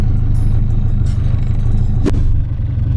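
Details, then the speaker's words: Nissan 240SX S13 idling smoothly after spark plug replacement for a suspected misfire (bogging, slow rev rise), coolant temperature climbing toward 175–185 operating temp; deep, even rumble with steady beat, no stumbles or skips; normal warm idle. "i'll go ahead and rev it and see if it's still misfiring but from here where i'm at um it sounds really good i'm still waiting for the car to reach operating temperatures"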